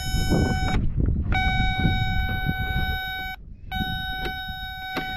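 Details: John Deere 310G backhoe stuck in park, engine off, jumper wire on terminal three: steady high buzzer drops out twice for about half a second; warning circuit cutting in and out, traced to a bad switch that only works held in one spot.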